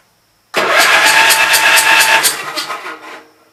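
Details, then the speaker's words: Gravely Pro 12 tractor, remote air cleaner left open (owner suspects water got in): fast even cranking about three beats a second, never slowed by compression, firing back out the intake; stuck intake valve, no compression. "Now she ain't got no compression. It's having to spin it over a little faster. THAT'S WHAT IT IS. THE VALVE STICKING."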